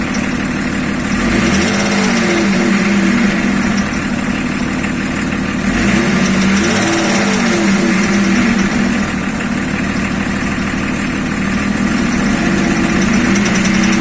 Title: Стук двигателя БМВ е-34